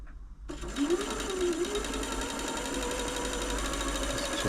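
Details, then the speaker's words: Janome Atelier 6 sewing machine, after WD40 sprayed behind the hook area: a fast, even whirr with a faint light tick still riding on it at speed. Source unconfirmed; owner doubts it can be removed. "it's just more a little tick I don't feel I'm be to get rid of it"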